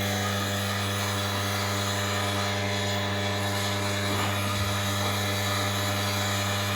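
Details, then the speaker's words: Wega commercial espresso machine, switch at position one after fitting a new 2940W heater element: water pump runs with a steady, even motor hum and no rattle or grinding, filling the boiler from the jug; normal pump running. "what it should do a after a second or two is start the pump this is position one and it should fill the boiler up with water"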